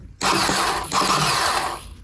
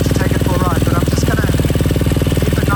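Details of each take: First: KTM 250 SX-F during restoration, first test after reconnecting battery: fast high electric whir spins freely about two seconds with no cranking beat; starter turning but not engaging. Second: Freshly rebuilt KTM 250 SX-F single, run outside after oil top-up: steady even idle beat with no knocks or rattles before switch-off; no water in oil, runs virtually flawlessly; normal idle.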